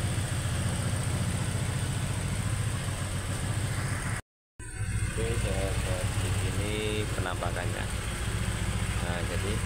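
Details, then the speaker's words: Honda Vario 125 old scooter after repair of hard starting and heavy starter, commonly caused by a failed valve or gasket: now starts very easily and settles into a steady, even idle with a smooth low beat, no misfires or knocking. "Kita tes hidupkan. Sangat mudah ya, sangat gampang."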